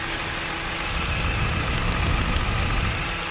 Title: গাড়ি ইঞ্জিন নকিং করলে কি চেক করবেন🥺car engine knocking problem